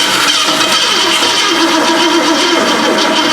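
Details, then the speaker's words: 1965 Mustang sat in a barn 15+ years, battery charged: starter labors, turning engine slowly and heavily without catching; cause unclear, owner questioned dead battery, then planned priming carburetor. "no hold it why is that cracking so hard is that battery dead"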